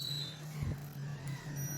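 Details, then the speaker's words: Fridge compressor overload protector removed and tested on a multimeter in continuity mode: steady, unbroken beep means continuity, so the overload is good (a bad one would show open with no beep). "Beep की आवाज़ आ रही है।"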